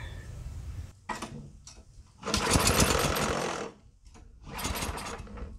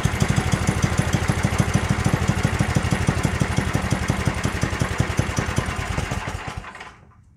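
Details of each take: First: Yardworks 27-inch two-stage snowblower, started on starter fluid with the choke on to check spark and compression: a few ragged firing bursts between gaps, then it dies. It was promising, but some weird sounds were heard. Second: Yardworks 27-inch two-stage snowblower, pull-started because the electric starter seems dead: quick, even firing pulses for about six seconds before shutdown, so the engine runs smoothly. The drive still has issues, with R1 creeping forward.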